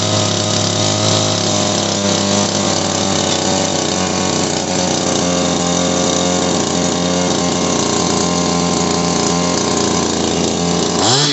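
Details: Shindaiwa PB270 power broom two-stroke after carburetor repair with fresh gas: high, buzzy note holding steady speed without stumbling or surging, then dies away; normal running.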